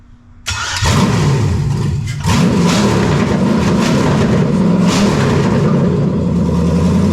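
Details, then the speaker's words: Junkyard 2005 5.3 LS V8 on an engine stand, original wiring harness, fuel from a can, destined for a 1953 Chevy 3100: short crank, then catches with lumpy revs and settles into a rough but steady run. "I got that thing to fire up because I didn't know if I wasted, you know, almost two grand."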